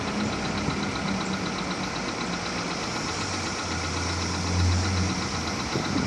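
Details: Volkswagen Polo 6R at 46,000 km, idle: uneven light knocking about four a second over the engine hum; piston knock, fixed by replacing pistons, rings and cylinders.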